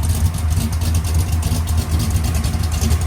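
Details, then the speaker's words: Freshly rebuilt Chevrolet Malibu engine fired up cold: deep, even idle with a steady low pulse and no knocks, ticks or leaks; runs smooth. "And that's cold, [Music] too. Sounds so good."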